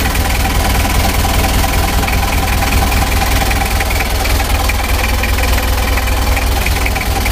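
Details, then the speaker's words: Rebuilt 2000 Mitsubishi L300 diesel warming up: heavy, dry clattering knock at steady idle over a deep rumble. Injection pump timing is set one tooth advanced and too strong, to be backed off later. Diesel knock from advanced injection timing. "suaranya agak kering ini terlalu kuat tenaganya nanti mesinnya takutnya gak tahan lama teman-teman ya"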